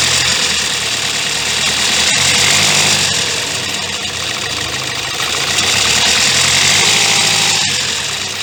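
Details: 2016 Kia Sportage 1.7 CRDI diesel, warmed up, idling with phone close under hood: fast metallic rattle about four per second; timing chain suspected, unconfirmed; accessory belt and pulley already replaced without cure, noise worsening over time.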